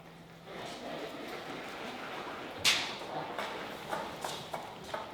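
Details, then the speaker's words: KTM 525 XC dirt bike: faint, irregular light ticks and knocks as the front wheel moves, like loose bolts rattling, are the normal rattle of its fully floating front brake rotors. "so you kind of hear like it sounds like bolts are rattling [Music] around you can just barely hear it Knocking uh that is not bolts rattling around that is uh fully floating front rotors"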